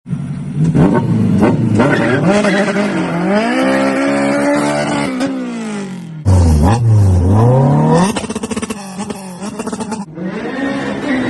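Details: 2013–2017 Honda Accord engine, before belt tensioner replacement, revved: a strong tonal whine rising and falling with engine speed, from a worn belt tensioner.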